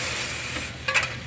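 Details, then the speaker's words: Old grocery-store glass reach-in freezer with timed-off defrost and long-gone termination switches; iced-up coil melted out with a garden hose while the defrost heaters are energized. Hissing, crackling sizzle fading and flaring: water sizzling on hot defrost heater. "start melting this turd out. You can hear the elements not liking that very well."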